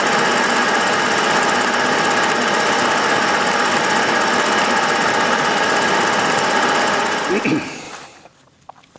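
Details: Milling a V-block from old forklift tine steel with carbide cutter and coolant, about 1 mm cuts: hard steady rattle about three times a second while cutting, chatter from runout in an out-of-round cheap Chinese arbor letting few teeth hit.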